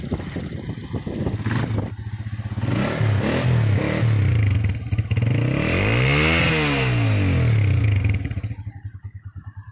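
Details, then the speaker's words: Honda CB Shine 125, 2015 model, after pushrod replacement: single-cylinder revs climb cleanly and drop back smoothly with even exhaust beat and no tapping; healthy normal revving. "मसाला बिल्कुल बेहतरीन sound sound proof है मसाला अब कोई आवाज नहीं है इसके अंदर"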